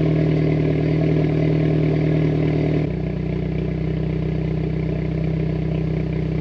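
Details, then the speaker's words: Mitsubishi Evo X at rough idle, not yet fully warm, after regapping spark plugs for breakup under high boost: idle drops and stumbles with an irregular clattery beat; misfires about the same as before, cause unconfirmed. "i would say that's the same amount of misfires as before"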